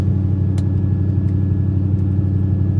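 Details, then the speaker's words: 1995 Ford F-150, apparently low mileage, sat for weeks, intermittent check engine light, after a drive: steady fast engine drone held well above normal idle without hunting; idle awfully high. "Listen how high that idle is."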